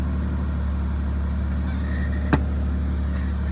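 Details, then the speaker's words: Ford Sport Trac V6 on a cold start after a transmission tune, door open: even steady idle around 1300 rpm, trans temp 56 degrees, no misses, ticks or knocks; running smoothly. "we're running running smoothly no problems for a cold start this is actually rather smooth"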